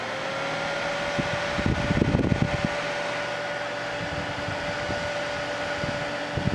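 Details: Ambiano countertop ice machine, cover off, after a reset: steady whir with a constant mid tone over the running compressor hum and a few light handling rattles; condenser fan blowing out through the grill, running normally.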